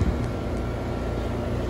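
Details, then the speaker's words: Central AC condenser after replacing a defective thermostat with a White Rodgers Emerson Series 80, set to 60 to call for cooling: steady low compressor hum with evenly whooshing fan, no rattles or grinding; running normally. "okay we're walking up to the condenser as you can probably hear our compressors running obviously fans running and"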